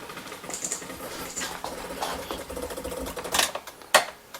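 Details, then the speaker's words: 1998 Chevy Tracker, key on, engine stopped: one injector clicks in quick uneven bursts while dumping fuel into the cylinder, others dry; stuck-open injector, wiring fault suspected. "oh there she goes just dumping dumping dumping it's going to fill that all the way"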